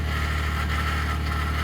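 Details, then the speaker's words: 2021 Ford F150 PowerBoost, remote cold start at -16°C (noise occurs at -11°C and below): steady low drone with rough, gritty whirring, really loud, like something pumping; source unknown, not figured out by Ford. "I don't know when it starts. When it starts pumping something, but who knows? It's really loud."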